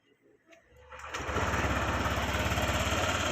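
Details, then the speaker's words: Honda Click 150i V2 scooter just after an engine refresh: quiet crank, then it fires and holds a steady, even idle of about three to four beats a second with no knocks; healthy before break-in. "So kaka-refresh lang ng engine niya. Try natin. Tignan natin kung tahimik na."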